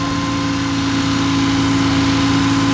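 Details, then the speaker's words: 1978 Porsche 911 SC idles steady and high with no hunting; cause unknown, possibly mixture-related, and it blows light smoke for about a minute after sitting. "It idles high, and when you start it up after it sits, it'll blow some light smoke"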